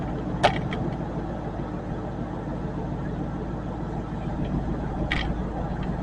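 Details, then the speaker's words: 2000 Ford F150 4.6 V8 after weeks of repairs, idling; low puffing tick riding the exhaust note in step with engine speed, otherwise runs fine; exhaust leak. "you can hear the exhaust leak well not run any bad so we just got a few little bugs to work out of it"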